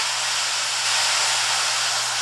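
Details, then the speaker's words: Soda fountain carbonator during gassed-out troubleshooting: CO2 shut off and pump unplugged, tank relief valve opened, giving a loud, steady high-pitched hiss of gas venting so the tank can refill with water. "so if i was to open this you can see there's a lot of gas coming out of the tank a lot of gas going out of hand"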